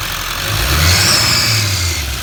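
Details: 2015 Duramax LML diesel after EGR delete and intake bridge pipe install: a high whistle rises and fades as it is revved off idle, over the engine note; an exhaust leak.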